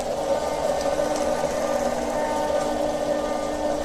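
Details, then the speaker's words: Home RO water purifier, opened, working properly but with a loud, steady buzzing drone from the booster pump, pointing to wear inside the pump head. "R O proper काम कर रहा है लेकिन मुझे बहुत तेज आवाज़ आ रही है। आवाज़ का क्या कारण है मैं आपको दिखाऊंगा इस वीडियो में बने रहना गाइस।"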